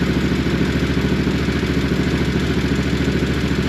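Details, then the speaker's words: 2014 Massimo MSU 800 V-twin side-by-side in neutral after fixing a valve lash problem (valves held open, low compression, blow-by): steady, even idle with a firm low thump, running on both cylinders; healthy. "that is running on both cylinders there we go"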